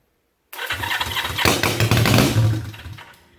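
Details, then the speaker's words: Honda CB350 basket-case twin, first start on jump starts; cranks, then catches into a lumpy, uneven popping about three to four beats a second before fading, running on one cylinder only. "alright guys it's running on one cylinder I unplugged took this other cylinder off and it popped it fired right up"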